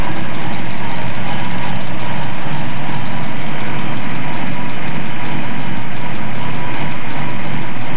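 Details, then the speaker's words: 1970 Ford Mustang Boss 302 V8 under restoration, coil hot-wired around the ammeter, cranked from the window and started. Steady, even exhaust rumble without misses or knocks, settling into a healthy idle; satisfied with the motor. "go ahead and crack it and you reach in the window here and crank it you'll remember these sounds this old engine"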